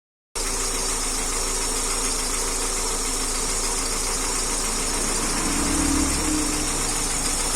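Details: Car engine at idle during diagnosis by elimination: loose, uneven clatter about four taps a second over a steady idle, suspected top-end valve-train noise, cause not confirmed.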